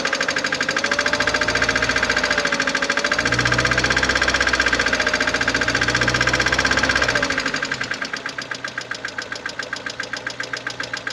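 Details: 2011 Mercedes-Benz A160 W169, M266E15 1.5 L petrol, 97,955 km, at idle: fast light metallic ticking about three to four per second over steady idle; defective hydraulic lifter.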